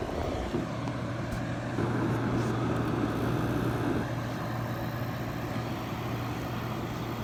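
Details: Window AC unit (Zenith/LG 6500 BTU) that fell from a broken wagon and lost its freon, expected to have a broken compressor. A steady low hum with an even fan rush, no stalling or clicking off: the compressor starts and keeps running.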